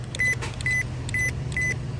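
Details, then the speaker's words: 2012 Toyota Camry hybrid with codes P0441/P0455, new OEM EVAP purge valve bench-powered: four crisp, loud clicks about two per second with brief buzz, opening strong and quick unlike the slow, weak old valve; healthy. "Very loud, so the valve in here is very strong and it opens very quick. Like the old one is kind of slow and it's weak."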